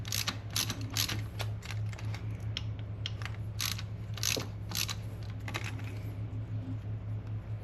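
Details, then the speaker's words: 1990 Chevy K1500 engine rebuild, valvetrain assembly: light, irregular metallic clicks as the pushrod is spun, meaning up-and-down lash remains; the rocker nut is tightened until the play disappears to set zero lash before preload. "If you can hear that clicking sound, it means it's still got a little up and down play in it."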